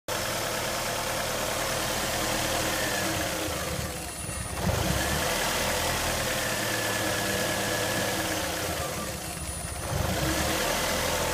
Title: 2001 Ford Focus miss fire rough idle for sale on eBay